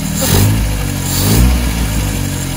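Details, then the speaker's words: 1978 MGB carbureted four after carburetor rebuild (previously dribbling fuel from carburetor bottom): even idle with a couple of clean blips rising and settling without stumbling; starts every time, idle fine, running normally. "The car starts up. It starts up every time, and it works great. I think the idle is fine."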